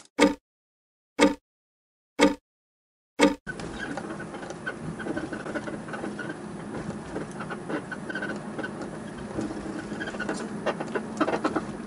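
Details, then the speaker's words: Toyota Celsior 30-series early model, 24 years old, nearly 180,000 km, lowered: four sharp squeaks about one a second then road rumble; suspension squeak over bumps, suspected from lowering strain. "窓を開けてると外からキーキーキーキー音が鳴ってるのが分かるんでね外にいる人からしたらねおぼろな感じの車に見えちゃったりとかする時もあったんじゃないかなと思うんですが"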